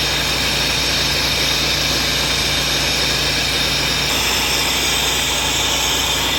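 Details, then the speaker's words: Volvo truck, disconnected at workshop, diesel idling: loud, constant high hiss, air dryer leaking completely so pressure won't build until it stops; owner plans to strip it to check for dirt or failed parts. "Air dryer கம்ப்ளீட்டாக league ஆகிட்டு இருக்கு. அது stop ஆகுனா தான் மேலே ஏறும்."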